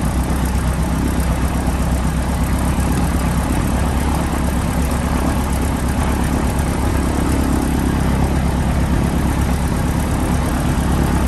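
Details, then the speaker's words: PA-18 Super Cub Lycoming O-320 first start after reassembly, idling: deep, even steady low beat, no misses, knocks or surging; oil pressure came straight up, running smoothly. "There we go, we have light off. Oil pressure's come straight up, that's good."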